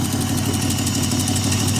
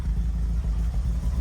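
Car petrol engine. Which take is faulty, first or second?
first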